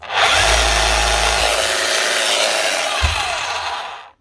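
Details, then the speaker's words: Makita HR3210C SDS Plus hammer drill, 2019, auction-bought, note says won't hold bits (worn tool holder): steady strong motor roar with an even hammering buzz, no grinding or rattling; motor and hammer action sound healthy, fault only in tool holder. "That actually sounds all right."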